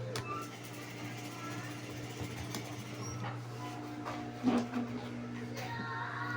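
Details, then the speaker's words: Electric fan with seized shaft bushing: steady low electrical hum, blades won't spin unless pushed, shaft tight and rough; weak capacitor also suspected; stalled motor hum, bushing to be replaced. "Problema nito is umuugong. Ayaw umikot. Yun ang gagawin natin. Paikutin natin to. Possible shifting bushing agag umuugong or mahina yung capacitor."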